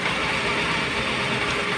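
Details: Honda Civic after spark plug replacement fixed a misfire: steady, even idle with no stumble; all cylinders firing, and pulling each one drops power; engine runs healthy.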